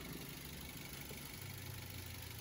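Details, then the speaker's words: 2012 car with coolant-loss issue idling while waiting for the thermostat to open: a steady, quiet idle with an even low hum and soft fan whoosh. No bearing growl, squeal or noisy fan; engine and fan sound healthy. "kita lihat sampai termostatnya terbuka suaranya fanb masih Walah tidak ada suara bu pingusing yang berisik dan lain-lain"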